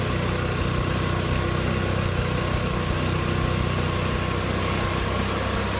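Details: Easyride 150N GY6 scooter with D-type carb, auto enricher (auto choke) removed three days earlier: warm engine ticks over smoothly at about 1,100–1,200 rpm without hunting or stumbling. It no longer smokes as it used to after about a minute warm. Normal warm idle.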